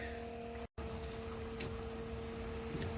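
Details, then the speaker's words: RV macerator pump emptying black water into an IBC tote: constant electric hum at one steady pitch over splashing flow as it runs under load. Normal pumping. "then you just flip the switch here and uh it's pumping into the tank here you can hear it a little bit so we'll just go ahead and keep pumping"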